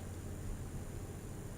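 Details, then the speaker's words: Car audio preamp with main volume off and treble fully up: only low background rumble, no hiss, even with two controls boosted; healthy preamp. "ไม่ซ่าครับเร่ง2ตัวก็ไม่ซ่าครับ"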